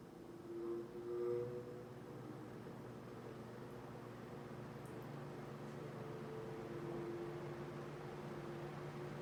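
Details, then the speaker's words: Mid-to-late-1950s Atkins Breeze-All 20" box fan by Hunter/R&M, two-speed with thermostat, shaded-pole 6-pole Hunter motor, heavy solid-steel blades: started on low, a soft hum and whir build as the blades spool up into a steady, even drone; runs normally. "Now for demonstration here, we're going to start up on low. And then we're going to turn it back off with the thermostat, turn it up to high, and after it stops, turn it back on to high. And that way you can hear the startup sounds that this fan makes on both speeds."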